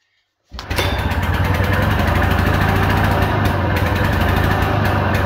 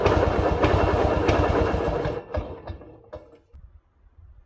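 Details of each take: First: 1940s Simar two-wheel tractor, old single-cylinder engine started on a primed carb. It catches and chugs fast and unevenly at about 220 beats a minute, then stalls because the idle speed is set too low. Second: 1940s Simar two-wheel tractor rototiller, single-cylinder engine after restoration: even, steady thumping for two seconds, then shut off and coasting to a stop; starts easily and runs smoothly, though owner hears a possible main bearing noise.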